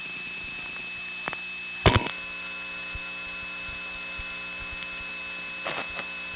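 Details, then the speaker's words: Bell step-by-step exchange, Raleigh NC, 1979: second line gets busy, first line rings, ring trips immediately, then a steady low hum with sharp relay clicks; test line miswired with its sleeve lead open. "the second line will get a busy signal and this first line will start ringing the ring will immediately trip you'll hear a hum"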